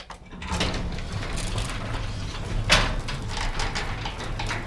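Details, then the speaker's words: Loud garage door with belt-drive opener, after replacing old rollers with DuraLift nylon rollers with sealed bearings: low, smooth rumble of travel with one brief squeak midway; much quieter, remaining noise from bowed door panel. "I already heard the difference because I had to raise this door up but it didn't hear with all so now it's got the nylon everywhere and man it's a big difference"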